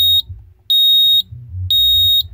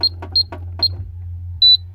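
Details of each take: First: Security alarm panel sounding its fire alarm: loud, high-pitched beeps pulsing about half a second on and half off, like a house smoke detector but quieter; the fire alarm signal, silenced by passcode. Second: Burglar alarm keypad being entered: short high-pitched chirps, single and paired, then one longer beep over a low hum; ordinary key-press tones.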